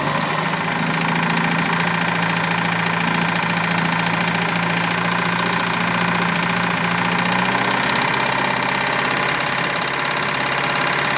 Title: Engine knocking 87 mercruiser 3.0